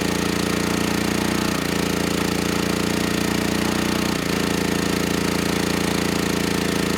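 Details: Generac GP6500E generator, formerly seized engine now running, warmed up, tested outdoors under load up to 6,000 W near max: steady drone holding speed with brief dips as load changes; 121 V, 61 Hz to just below 59 Hz, distortion 6% to 16%; handles load fine.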